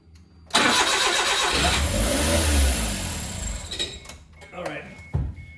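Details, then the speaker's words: Suzuki Carry with freshly rebuilt engine, first start, no coolant: cranks, catches and races to a fast high idle instead of settling; high idle from two open vacuum lines, runs perfectly once they were capped. "okay I shut it off because this throttle is going too high it's not idling it's going too fast"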